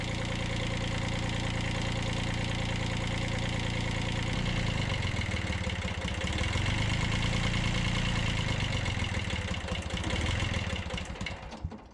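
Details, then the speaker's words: 1991 Kubota B7100 HST diesel started right after a fuel filter change without bleeding: lumpy idle, speed sags, hunts and dies away; air drawn into the diesel fuel line. "Shouldn't have done that. I sucked air in now."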